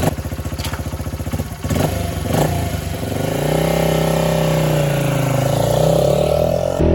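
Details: 1978 Honda XR75 single, restored, after moving the carburetor needle clip to the manual's position: putts evenly, revs up and down smoothly as it pulls away riding; normal running.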